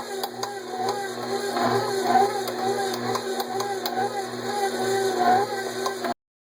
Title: Kitchen aid mixer making loud clicking noise